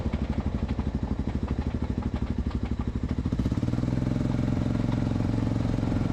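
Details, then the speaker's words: 1986 Honda FourTrax 350 ATV, single-cylinder: front differential clunks only on throttle lift-off after trail rides on low, dirty diff fluid; gear backlash, worn limited-slip clutches or possibly a chipped tooth; loose clunking on lift-off over steady thumping engine. "if like mine your diff makes this sound but only when letting off the throttle it means you've got backlash between the gears or your limited slip clutches or toast maybe you even chipped a tooth"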